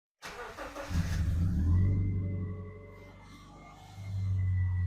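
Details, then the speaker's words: Subaru Outback with a newly installed replacement engine after the old one rod-knocked: cranks, catches quickly, revs briefly and settles into a steady idle with no knock; later drove fine to temperature. "the second first start was successful. So we took it for a drive, made sure it got up to temp and brought it back home."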